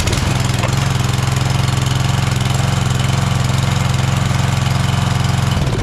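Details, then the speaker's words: Craftsman 190cc pressure washer, single-cylinder, after carburetor repair: slow, steady putter at low idle with no misses or knocks, runs clean; low rpm is normal because it is an idle-down pressure washer. "it's idling at a low uh RPM and there's a reason for that because it's an idle down pressure washer so that should tell you pretty much everything you need to know"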